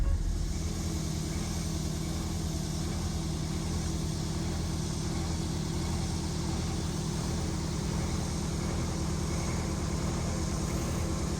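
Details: Prevost bus (Marathon conversion) with a Detroit 8V92TA DDEC2 diesel, no engine codes, max 15 psi boost, accelerating at full throttle: heavy flat drone that surges and pulls sluggishly. Low power from faulty injectors; new injectors cured the surge and gave 22 psi.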